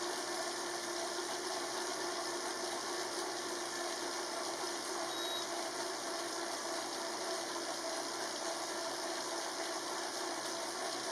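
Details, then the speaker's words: Elite Drivo bike trainer recorded on the camera microphone while riding at a steady 20 mph: a quiet, steady whirring hiss with faint chain and gear noise, mostly from the bike's drivetrain rather than the trainer. Normal and fairly quiet. "As you can see, it's fairly quiet. It's not too bad. You're probably hearing more of the gear drivetrain from my bike than you are necessarily from the trainer."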